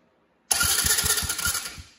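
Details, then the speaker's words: Tao Tao 125cc kids ATV that did nothing when the start button was pressed, with the battery checked: bridging the starter relay posts with an insulated screwdriver gives brisk, even cranking, showing the starter relay is faulty (the switch was also possible). "So that's how you know that your solenoid is bad or your switch is bad. Again, that could be the switch too. In this case, it was the starter relay here."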